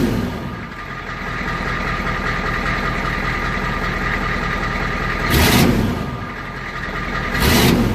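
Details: 1993 Ford IDI diesel truck after injection pump fuel increase (about 3 flats), lines bled, microphone by the exhaust pipe: clattering fast idle, two sharp clean rev bursts; runs well, quicker starts, slight smoke.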